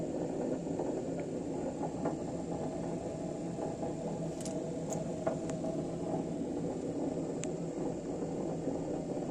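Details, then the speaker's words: Samsung Elmas 7 kg washer spinning empty: steady heavy rumbling roar, said to be ten times louder when loaded, from a broken drum bearing; the bearings and seal are to be replaced. "bu ses Kazan bilyasının dağıldığını gösterir"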